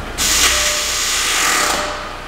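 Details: B7 Audi A4 2.0T FSI with CVT, during a brake-torque test of the engine mounts: a sudden harsh metallic scrape and screech lasting over a second, first feared to be the transmission. The rotor was slipping on its hub after the set screw sheared. Sheared brake rotor set screw.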